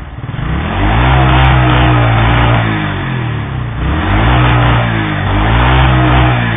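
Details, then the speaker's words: Yamaha SR single-cylinder that failed after riding in -15°C cold, revved hard in repeated pulls with a rough crackling backfire at full throttle; it also stalls at a stop when warm. Cause not confirmed. "Donc comme vous avez pu entendre, à fond de poignée, vous aurez le pétarade. Voilà, vous entendez bien le pétarade."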